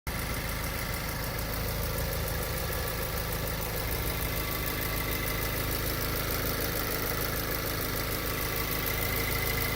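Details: 2016 VW MK7 GTI, about 40,000 miles, no codes: light regular tick about three a second at idle over running hum, from engine area, speeding up with revs; began months ago; cause unknown.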